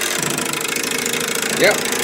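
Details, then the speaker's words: Candle-powered Stirling engine driving a 3D-printed gearbox at about 800 rpm: a quick, light metallic clatter each turn from loose bearings on the vertical rod. Linkage work is planned. "pretty good test now all this noise i have bearings on this vertical rod that are loose"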